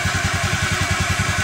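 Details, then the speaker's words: Honda Beat FI injected scooter that kept stalling after 100–200 m, after fuel pressure fix raised pressure to 45 psi: steady even single-cylinder idle with quick regular beat, no stumbling or dying. "Oke sahabat motor ini sudah lebih dari 5 menit dinyalakan tapi motor ini sudah tidak kembali mati-mati"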